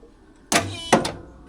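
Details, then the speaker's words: Mercury Cougar parts car with a 460 V8, auction find, good battery: two sharp clunks a fraction of a second apart with no cranking rotation; starter trying against an engine that did not move, judged seized. "This battery's good, so I think she's done. It did not move a tiny bit."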